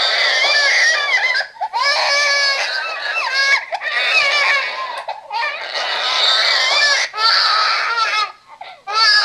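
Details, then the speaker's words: RealCare Baby Think It Over G6 infant simulator doll, loud recorded wailing in repeated bursts, the alarm cry for letting the head fall too far back, also used as its hungry cry, lasting about three to four minutes; head-support violation cry. "okay he will come down after about three or four minutes of crying and he will cry like that every single time that you let his head go too far back"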